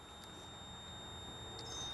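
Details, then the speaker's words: Oil pressure gauge warning beep on a Nissan 240SX S13 after an SR20DET swap, ignition switched on with engine off: steady high-pitched electronic tone from the gauge reading zero oil pressure. "do not turn the car on you will hear that beeping because it's our oil pressure gauge"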